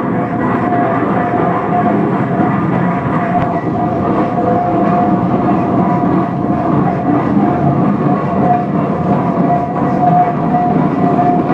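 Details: 1917 Minneapolis 40-80 tractor running for the first time after rebuild: steady, even chugging with a constant low drone and no knocks or misses.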